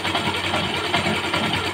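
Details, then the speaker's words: Motorcycle engine at idle: wavering scraping whirr pulsing inside the engine; most likely a damaged bearing, not confirmed. "So, pag ganire ang tunog ng inyong motor, parang may umaalun-alun ba? Ito, malamang sa malamang bearing"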